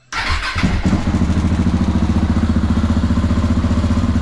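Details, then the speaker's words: Crashed motorcycle after a four-month repair: fires right away and holds a steady, even thump of about four beats a second with no rattle or miss; normal healthy running. "Kako vam se sviđa zvuk, a? I meni isto. Ne može bolje da bude."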